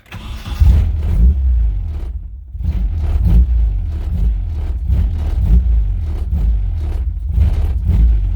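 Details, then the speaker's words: Nissan 240SX engine catches, surges unevenly and sags repeatedly, won't settle to idle and stalls. Throttle body has no idle adjustment screw, so the throttle plate stays closed too far to idle. "all right so i just checked turns out we do not have the idle screw like right there there should be a screw where you can control how much it's open the air throttle body and it's not there so this is why it won't idle at all"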